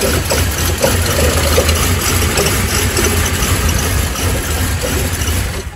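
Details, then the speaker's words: 2005 Buick Lacrosse, 3800 V6 Series III, cranking after a cold overnight soak near zero °F: long uneven cranking with stumbling catches, won't start; an OBD2 scan pointed to the MAP sensor, likely bad. "his 2005 Buick Lacrosse uh wouldn't start that was about the best he could get out of it and it had been running great"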